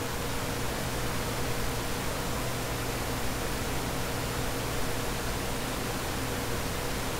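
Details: Dell CS24-SC 1U server, dual Xeon L5420, two of four 40mm San Ace fans removed, before Prime95 load: steady even fan rush with faint hum tone at baseline speed.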